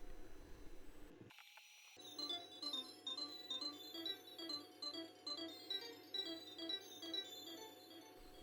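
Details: NeoGeo MVS MV4FT 4-slot arcade board under repair, audio output test with a cartridge: chirpy game music over a steady stuck tone and low hum, garbled rather than clean; distorted audio output.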